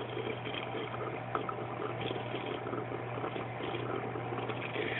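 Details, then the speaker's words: AquaticLife Internal Mini Skimmer 115 on a two-week-old tank, constant wet gurgling and bubbling over pump hum from the air input connection, before quiet modification; not a water level issue: protein skimmer gurgling noise. "gurgling sound is because the input their inputs connection there is what's doing that"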